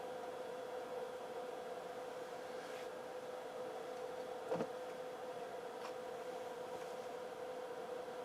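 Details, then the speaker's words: Low-hours 1970s Sansui 9090 receiver on the bench, test tone on speaker A: constant hiss with a steady mid-pitched tone and faint scratchy crackles, distortion heard on the left channel; owner suspects a dirty pot; audio channel noise. "there's our tone sounds like we got a distortion on the left I don't know"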